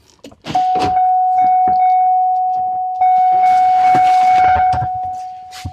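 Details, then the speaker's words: 2007 GMC Yukon, key on and engine off, troubleshooting a Service Park Assist error: single steady high-pitched chime sounding continuously; door-ajar warning for the open rear hatch and door. "so there it is service perk assist and my rear hatch is open and my doors open thanks for telling me that service Park Assist"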